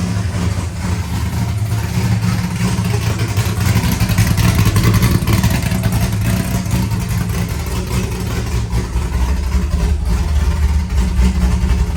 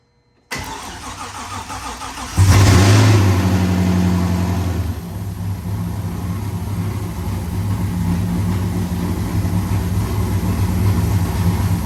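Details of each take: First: First start of a rebuilt C5 V8 with a Michigan Motorsports drift cam and ported 243 heads, showing 50 psi oil pressure. Loud, lumpy, uneven loping idle with occasional blips; a bystander says it sounds like a vacuum leak. Normal cammed idle. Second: First start of a freshly built C5 engine with a drift cam and ported 243 heads: it catches and settles into a very loud, lumpy idle with a steady rushing undertone, sounding like a big vacuum leak (not confirmed).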